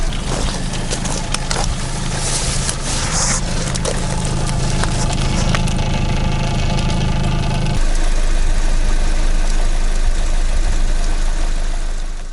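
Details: Chevrolet Cruze Z18 engine, 239,000 km, after budget repair of piston knock with standard pistons fitted: engine catches and settles into a steady, even idle with no knocking from the bottom end, running smooth and healthy.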